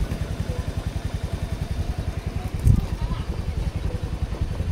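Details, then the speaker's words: 2017–2018 Honda Scoopy, possibly third-generation, fuel injected. It starts hard and idles low and unevenly at about 160 thumps a minute with a stumble, and stalls when throttled. The cause is a dirty crankshaft pickup coil giving a bad signal. "Oke, hidupnya tuh dia mbet dulu de begitu ya. Habis itu langsung mati."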